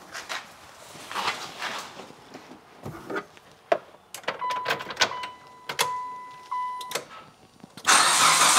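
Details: Abandoned 2006 Mitsubishi Lancer starting after a tune-up with new spark plugs, wires, coil packs and boots: clicks and a chime, a short crank, then it catches cleanly into a strong even run. Healthy start.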